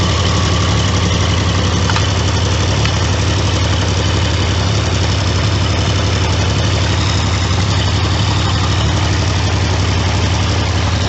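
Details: Triumph T150V triple after top-end rebuild (heads and cylinders off for oil leaks), started second kick: steady even idle with firm low beat, no knocks or rattles; runs smoothly, healthy.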